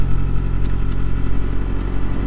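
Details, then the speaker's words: Toyota RAV4 on a trailer in a Michigan winter, which had failed to start after a suspected run-out of gas, with no stored or pending codes: now running with four gallons added, about a quarter tank, idling with a steady, even low rumble and no misses or knocks. "okay she's running showing about a quarter of a tank there we added four gallons to it"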